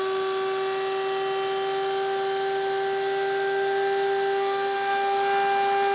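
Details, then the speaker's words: Motor from a 1997 Rainbow D4C SE canister vacuum, test-run after replacing a failed, ticking PGN bearing and polishing the commutator. A smooth, steady high whine holding its pitch, with no ticking or knocking: the motor runs normally. "All right, that's good. No ticking and banging."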